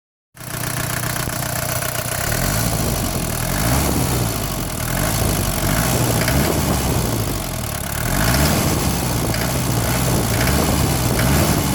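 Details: Mercedes 240D diesel, recently swapped engine, idling with a rough clatter and giving sharp metallic clanks only when the throttle is snapped open, not on slow revs; the cause is unknown.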